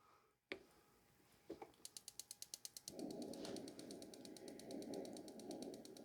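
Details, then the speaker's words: Coleman Hot Water On Demand portable shower heater on 1 lb propane cylinder, pump running, knob turned to pilot and pressed: quick sharp ticks about three per second, then soft steady burner rush as flame lights. Normal igniter clicking at pilot lighting. "Now you can hear we have a flame going. You're going to hold it for about 7 to 10 seconds."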